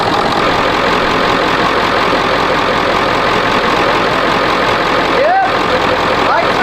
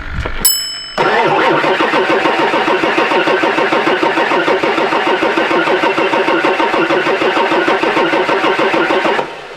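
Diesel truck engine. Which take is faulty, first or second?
second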